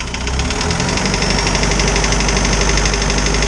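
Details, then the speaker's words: Isuzu 4BD2T diesel in a snowcat, just rebuilt with a new head after an exhaust-to-coolant leak: loud uneven clatter about four knocks a second over a rough idle; owner suspects one valve needs adjusting, unconfirmed. "sounds like i need to adjust the valves a little bit better [Music] i got one valve in there that's just been [Music] annoying he just sounds really upset like you shouldn't have taken me apart"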